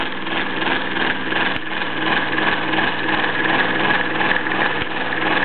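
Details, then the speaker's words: Bowman E158 steam engine on wooden base, totally original condition, run rarely: even, steady chuff about three beats a second with light mechanical clatter; performs impeccably, normal running. "let's just say it just performs impeccably"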